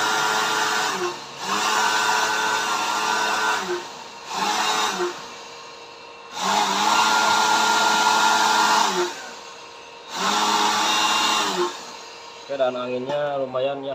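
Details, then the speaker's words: Homemade blower built from a used dynamo motor on a zinc-plate mount, fed by a 12 A transformer at maximum: a steady, even motor hum switched on and off several times, no rattle or scraping; formerly very noisy, now quiet and running smoothly. "Bagus, suaranya halus. Tidak seperti dulu. Sebelumnya sangat berisik, sekarang sudah tenang."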